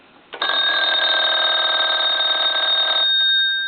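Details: German telephone after repair and conversion, final checkout: steady bright trilling ring for about two and a half seconds, then a clean stop; bell rings strongly and evenly.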